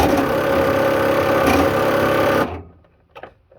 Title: bruit moteur